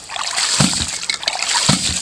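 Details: Rife Ram 20 hydraulic ram pump, regasketed and reinstalled, fed by 2 in pipe from a dam, pumping 87 ft up to a 300-gallon stock tank: water sloshes with a solid valve clack about once a second, evenly spaced; cycling normally.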